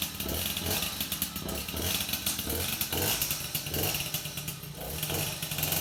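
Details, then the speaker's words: MBK 51 two-stroke moped with reworked clutch bell (shoes trimmed 5 mm): revs climb with a buzzy rasp, clutch slips briefly before drive takes up; engagement smooth and correct. "Parce que là, ça me va bien, ça prend du régime et ça patine bien avant de commencer à avancer."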